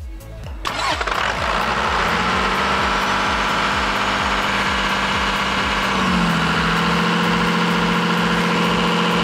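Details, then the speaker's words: Cummins diesel truck with P7100 injection pump, fuel shutoff lever in running position: starts and runs a steady even clatter at about 1800 rpm unloaded, then drops to about 1300 rpm when the exhaust brake adds load; governor holds it cleanly. "with the load off it was about 1800 rpm but once to turn on the exhaust brake it dropped about 1300 rpm"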